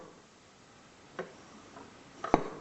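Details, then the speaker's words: Jaguar E-type SU HD8 carburettor during jet rebuild, piston lifted and dropped: a light tap and one sharp metallic clunk, showing the jet is correctly centred; no clunk means not centred. "and get a nice clunk you hear that clunk foreign if you don't get that clunk it means it's not centered properly"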